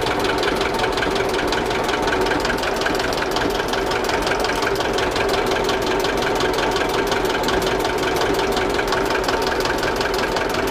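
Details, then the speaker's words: Old diesel in homemade boat, just started via decompressor and glow plug: even busy clatter at steady idle, no hunting or odd knocks; oil pressure coming up, charging positive. Normal idle. "Масло потихонечку пошло, зарядочка в плюс пошла, 12 вольт амперметр, ну пока еще не доделал амперметр, разберемся, в чем причина."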